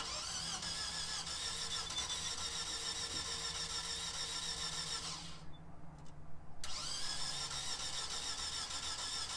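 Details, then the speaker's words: Car with no battery cranked on a Gooloo GT3000 jump pack: starter whirs steadily about three turns a second, pauses, cranks again, never catches; crank-no-start, cause unknown. "As you can see, this car has no battery in it at all, and it was turning it over like crazy for a long time. It's just not going to start."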